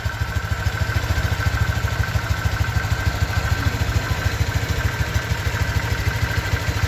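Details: 2023 Honda Vario 125 new single-cylinder scooter at just over 1,000 km, idling: steady, even putter about three beats a second, no knocks or rattles; owner reckons it runs smoother than at 500 km, crediting correct break-in. Normal idle.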